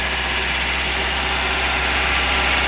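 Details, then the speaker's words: 1989 Toyota Hilux 22RE at first start after a complete rebuild (cam worn out at 299,885 miles), no radiator or cooling system fitted, clutch held in; steady, even idle with no knocks, ticks or misses and no leaks, sounds healthy. "Sounds good. Doesn't look like there's any leaks. No fuel leaks."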